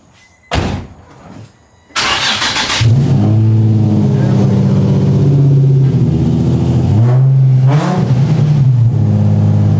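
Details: Nissan 350Z (VQ35HR), catless, after fixing exhaust leaks at the test pipes and fitting a new ISR Y-pipe: it cranks, catches and settles to a smooth, even idle with a brief blip, with no leak ticking or truck-like exhaust note.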